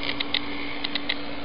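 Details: Hickok 539C tube tester noise test on an Amperex 6DJ8, lead into an old radio's antenna: sharp crackling pops over steady hum without even tapping the tube; shorted tube section, stop testing and discard.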